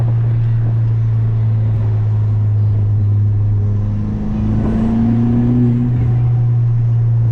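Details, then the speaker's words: Ford Fiesta ST on a test drive after new NGK spark plugs at stock gap: strong steady low drone with tone sweeping upward under boost, smooth and even with no stumble or misfires; engine running clean. "Sounded great, acting great. Zero issues. So, it's just a little drive just to make sure."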